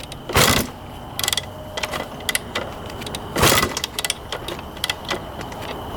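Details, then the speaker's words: 1991 Honda CR250 two-stroke dirt bike, fuel on, choke on, kick start: two kicks churn the engine with a ratcheting clatter but no pop, catch or backfire; cranks but no start, flooding or no spark suspected. "um it's either flooded out or it's not getting spark it sounds like cuz it's not even popping over backfiring nothing"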